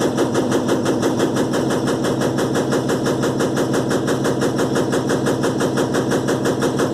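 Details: Electrolux LTE12 washing machine suspension test: fast, regular rattle about three per second over the spin drone, steady throughout. Rapid suspension rattling during spin, cause unconfirmed.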